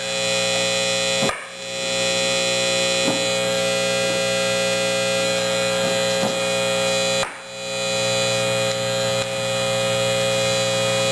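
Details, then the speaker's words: Fender Super Reverb amp, reverb tank output: steady mains hum with a few faint irregular pops; owner attributes the popping to the reverb springs touching, hum possibly from unshielded, ungrounded connection; not confirmed. "that popping is Springs touching"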